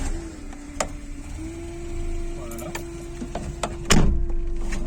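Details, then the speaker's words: 1994 Renault Supercinq Five 1.4i petrol, daily driven about 16,000 km by the owner; steady mid-pitched whine for several seconds at key-on before the engine catches; worn noisy fuel pump needing replacement, its only problem so far. "Alors ma pompe à essence n'est pas fraîche, donc du coup elle fait du bruit, malheureusement il faut que je la change."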